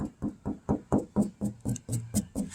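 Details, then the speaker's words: 1970 VW Beetle convertible, bare steel body panel tapped by hand to check for filler: about four crisp, even taps a second ring hollow and bright, suggesting no putty underneath; hollow-sounding bare steel panel. "Another way to tell if a car's got putty, you can sit there and tap on it. I don't know if you can hear that. You see how it sounds like hollow?"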